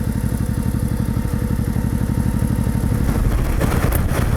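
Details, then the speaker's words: Serviced, liquid-cooled Honda sidecar motorcycle warmed up with the thermostat open, idling at 24°C: even, steady low thump with no knocks or misses; charging at 13.5–13.8 V, no leaks, the engine runs smoothly. "13.5 13.8 charging voltage at idle, the battery is charging, charging is in progress. We can't see any leaks underneath us. The engine runs smoothly."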